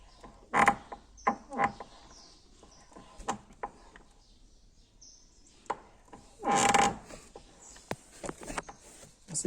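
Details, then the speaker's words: Fiat Uno door after grease applied to the hinge: short sharp squeaky creaks each time the door swings, quiet gaps between; squeaking hinge improving but not yet cured while grease works in. "parece que tá melhorando até tá saindo um barulho da Kombi já então para quem tá com feijão né e fazendo barulho de Kombi"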